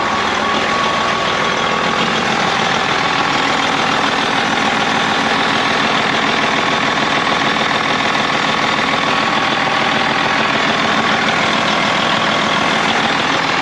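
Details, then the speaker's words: Freightliner FLD diesel truck started right up after sitting (spider webs everywhere). Steady, even idle with a smooth regular beat after a cold start, no knocks or misses. Normal idle. "There she goes. Oh, there's spider webs everywhere. Holy crap. Okay. Ooh, look at that. Starts right up."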